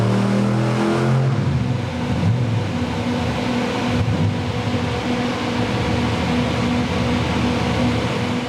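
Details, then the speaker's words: 383 small-block Chevy V8: it blips and revs, then settles into a steady idle that is slightly high; the larger idle jet is suspected, and a smaller jet may be needed. "Well, we're getting closer. Starts up, revs up, idles. A little bit high."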